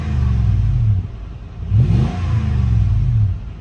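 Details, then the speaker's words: Lexus GX 470 V8 with newly installed Magnaflow overland exhaust replacing OEM: deep rumble swelling with two clean throttle blips and settling back, subtle and not loud, no rattles; healthy. "yeah you can definitely hear it ah just so subtle mhm not loud at all"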